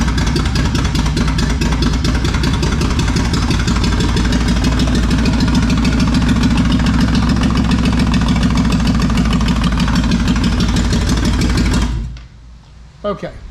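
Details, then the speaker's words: Toyota 4Runner 3VZ-E after repairs for no compression on two cylinders: loud open-pipe idle with a lumpy uneven beat before shutdown; two cylinders misfiring from crossed spark plug wires, number four among them. "well it was running but it sounded like it had a dead Miss and got to looking and reason had a dead Miss actually missed on two cylinders"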